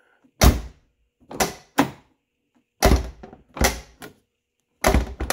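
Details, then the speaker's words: 1990-1997 Lincoln Town Car right rear door before striker bolt bushing replacement: uneven hollow thunks with a click, door won't shut without slamming; worn striker bolt bushing. "okay right rear see click door don't want to shut"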